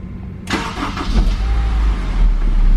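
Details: S2000 push-button start: brief crank, then it catches cleanly and settles into a steady low idle with no scraping or dragging afterward, the sound that would point to a failing starter; starter healthy.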